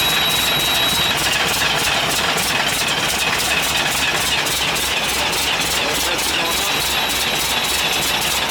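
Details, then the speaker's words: International 7100 with DT466 diesel, first start after in-frame overhaul (fresh head, liners, pistons, bearings, radiator), after bleeding injector lines: even, fast diesel clatter of about three beats a second over a steady run, no heavy knock. Normal idle; start called a success. "get back here where you can hear i'd call that a success"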